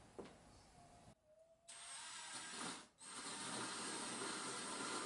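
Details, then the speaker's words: Diamond-coated drill bit cutting a glass hole for a DIY desk lamp, with water pooled to cool the bit: steady high gritty grinding, brief pause, then even hiss as it bites; cutting glass properly. "hear that grinding? That's how you know it's working."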